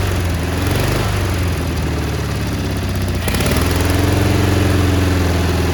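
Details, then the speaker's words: Cub Cadet 1430 abandoned for years, fuel turned red, started on ether; idle hunts up and down, pitch dropping then climbing, uneven beat, surging while burning off deposits; one side possibly misfiring a little. "there she is look at that it's surging a little bit but it's burning off all the crap that was on it it smells so bad she don't like uh she don't like idling"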